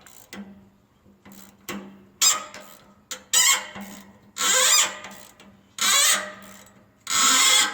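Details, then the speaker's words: Stuck bolt being removed from a broken lawn roller before TIG weld repair: sharp, rising squeals in repeated bursts as it turns, a dry, tight thread binding; penetrating oil is to be applied, cause suspected, not confirmed. "Doesn't sound good. Gonna need some PB Blaster."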